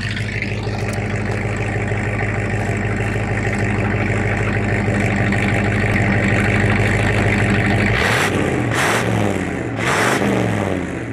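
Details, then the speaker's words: 1973 Ford F-100 4x4 pickup: an even, steady idle with a regular low beat, then a clean rev that drops back smoothly; the engine sounds healthy. "so it sounds really good it's a nice truck"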